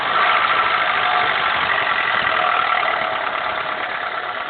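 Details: 2000 Honda Accord, F23A1 block, 167k: cold idle with quick, fairly regular tapping, three to four per second, heard only between idle and 2k rpm on cold start; owner suspects rocker arms/camshafts or a rod knock.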